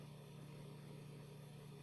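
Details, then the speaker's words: Commodore 1541-II disk drive set as drive 9 alongside drive 8, booting Ultima 6 on a C64: low, even motor hum that spins endlessly with no head seeking. Load hangs because of the second drive; fixed by switching drive 9 off. "happens it just endlessly spins you might think the game is broken"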